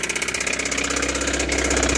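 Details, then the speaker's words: 1985 Toyota MR2, owner suspects a thrown rod: fast, sharp, even tapping keeping pace with the idle, a heavy bottom-end knock. "I'm going to crank it up for you and you'll hear it trust me I'm sure you can hear the knock it's pretty bad so that's why this car is so cheap"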